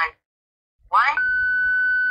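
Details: Baofeng BF888S handheld radio after a mistaken update writing empty channel data: short noise burst, then a steady high-pitched squeal on all channels; programming corrupted, cannot be rewritten by stock software or CHIRP.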